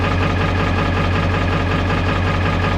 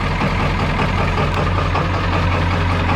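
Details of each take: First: 1995 Ford F-350 XL Powerstroke diesel cold idle at about 50°F right after start: loud, lumpy clatter with an uneven beat, engine shaking; owner attributes it to the glow plugs still being on, not confirmed. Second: 1995 Ford F-350 XL Powerstroke diesel just after cold start at about 50°F, mileage unknown (380,000–600,000): deep, steady clatter at an even cold idle, no knocks or misses, some blue smoke; runs pretty good, normal.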